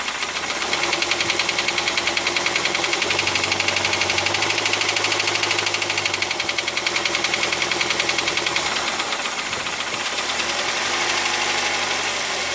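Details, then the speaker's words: Toyota Rush 2006, 3SZ engine, idling in Drive where the knock is louder; fast fairly regular ticking knock about two per second; present for about a year, valve clearance or piston suspected, cause unconfirmed. "Сейчас поставлю на D, более явный отчетливый стук будет слышно."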